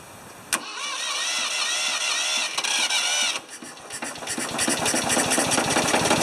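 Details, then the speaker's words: 1980 or 1981 Ford 2600 gasoline tractor, on a temporary fuel tank after a carburetor rebuild and cleaned points, started choked: a brief crank, then it catches into a quick, fairly even idle. It runs fine. "so uh well i guess when you replace everything on the tractor it uh it runs"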